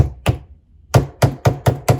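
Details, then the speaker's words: Lenovo ThinkPad L14 (AMD Ryzen 7 4750U) keyboard: pressing heavily at the bottom right edge gives dull low thuds as the deck flexes down onto the table; top right better, cause unknown. "on the edge, if I press it quite heavily, on the right hand side, you can hear the noise going down to the table."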